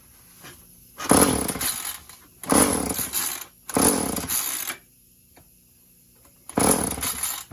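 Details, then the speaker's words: Old chainsaw run without bar or cover, choke on, broken kill switch: four pull-start bursts, each a short sputtering cough that dies without running; hard starting before it finally runs. "Hang on, folks. Choke switch. Maybe it doesn't want to start up. Maybe it doesn't want to start up."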